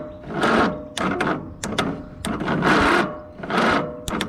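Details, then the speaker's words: Free Troy-Bilt riding mower, starter jumped directly from battery positive to the starter terminal: slow, uneven cranking bursts about two a second as the starter labours. Owner suspects a failing starter and checks whether flywheel magnets have come off and are scraping. Unconfirmed. "think that's the starter that doesn't sound the healthiest. I don't know."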